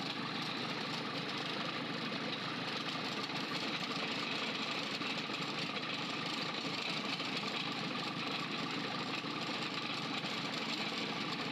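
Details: Freshly overhauled 4TNE98 diesel on a temporary test stand, leak-test run: steady idle with crisp uniform valve clatter, no stumble or knock; rebuilt engine idles cleanly.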